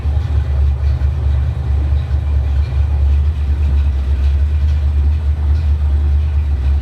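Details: 1965-66 Ford Mustang V8, cold start, heard from inside the car while testing the stock and aftermarket oil pressure gauges on a dual-port sender: deep, steady low rumble with an even beat, no knocks or misses; oil pressure very high when cold; normal cold start idle.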